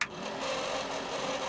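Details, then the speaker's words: RV rooftop AC after a new capacitor was fitted: a steady whirring hum with a rough, scratchy rasp as the fan has trouble turning. The fan motor is noisy, and a replacement motor and blade are coming. "The only thing we just found is the fan itself is going to be making some noise, and I've got a replacement motor and I got a blade coming."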